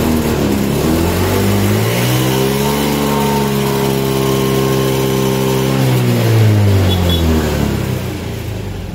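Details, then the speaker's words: Honda Beat scooter at full throttle: revs climb unevenly, sag and drop instead of rising steadily; fuel filter very dirty, fuel pump weak and faulty, checked with a fuel pressure gauge and replaced. "So makikita niyo dito sa doon sa ating reading is hindi stable imbis na diretso siya paangat nangyayari merong mga portion na nag-drop yung kanyang idle yan"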